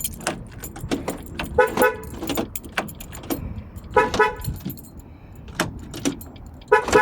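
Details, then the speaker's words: 2005 Jaguar X-Type with corrupted immobiliser, fob lock/unlock pressed about 9 times to relearn: three short horn toots about every 2.5 s between fob clicks and key jangle; alarm objecting because the bonnet is open. "8, 9 times. It's because the bonnet was open."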